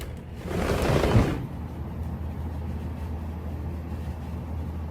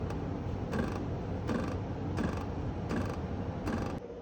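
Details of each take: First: Midea U window air conditioner after a cranking-noise fix (the window was opened and closed): only a low, even hum with no cranking or knocking, blowing cold air and running very quietly. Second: Midea U air conditioner cranking noise: sharp rattling clunk about 79 times a minute over the unit's hum, from something loose inside the electronics box; pressing its wall stops it, fix planned with spacers against outer casing.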